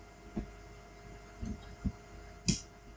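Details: Cisco IP phone plugged by straight-through cable into a switch port: a few sharp isolated clicks over a faint hum as it takes Power over Ethernet; normal power-up.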